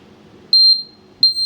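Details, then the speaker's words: IoT overload monitor/capacity counter project: shrill steady beep around 4 kHz sounds twice in a quiet room as the people count reaches the maximum limit and the alarm trips. Capacity limit alarm buzzer. "திரும்பி வந்து maximum limit ஆச்சு. இப்போ நம்ம வந்து இங்கே 22 இருக்குது. 21 ஆச்சுன்னா limit sound of ஆயிடுச்சா?"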